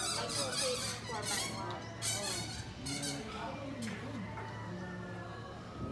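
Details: Motorized sliding gate of about 200 kg, opened by remote or voice command, with lubricant not yet applied. Sharp, wavering squeaks repeat over a low motor hum as the gate slides, from lack of lubrication.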